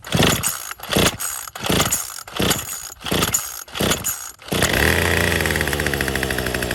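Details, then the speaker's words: Troy-Bilt TB35 two-stroke weed eater with new aftermarket carburetor, fuel lines, fuel filter and fresh gas, pull-started on full choke: sharp yanks, then catches and holds a buzzy high drone; uneven running, new carb not yet tuned. "Probably gonna have to tune this machine. It's pretty normal with these aftermarket carburetors."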